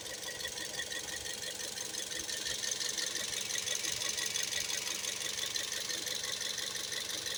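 Fast, tinny metallic rattle, roughly three taps a second, riding over a thin idle: knocking and rattling at idle, cause not pinned down.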